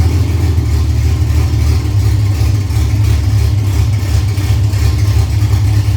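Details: Freshly built Ford Cortina 3L V6 Leisure, first start-up, idled briefly with no coolant in: steady even low rumble, no knocks or misses; smooth healthy normal idle.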